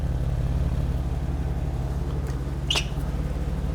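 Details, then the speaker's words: 1991 BMW E31 850i V12, 6-speed manual, revived after 7 years off road on old fuel: deep even thrum with steady quick firing beat, all 12 cylinders firing, no misses; normal idle. "it's firing on all 12 cylinders it's going to run even better once we have a full tank of fuel with of good fuel"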